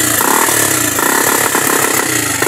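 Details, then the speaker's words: Motorcycle after quick troubleshooting, earlier out of fuel, now refueled and electrics OK: runs steadily with buzzy exhaust note and even firing, no stumbles or misses; normal running. "Tingnan niyo, umandar na. Muli, pakinggan natin."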